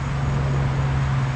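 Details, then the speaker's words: 1996 Oldsmobile Aurora idling after shorting alternator replaced (battery had sparked excessively); steady, even low hum, no knocks, ticks or stumbles; owner says everything's good; normal healthy idle. "Got the Aurora running. As you can hear, she's running. Everything's good."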